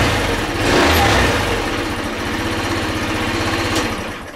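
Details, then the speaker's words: 2008 Racer Salut MT50QT-19B moped, 139QMB engine, first start after setting valve clearances (previously zero) and cleaning the carburetor: catches and settles into a quick, regular putter with no tapping or knocking; normal running. "о заводиться начал работает почему-то интересно почему Наверное потому что теперь зазоры в клапанах есть"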